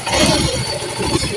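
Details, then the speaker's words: Yamaha New Soul GT 125 after fitting original Yamaha Fazzio piston for more compression: started up, no longer smoking, smooth even idle with no knocking or misses; normal idle. "Dan kita menggunakan piston pagio untuk S 125 ini dan dia sekarang sudah tidak berasap lagi kan dan suaranya pun e sudah terdengar halus ya"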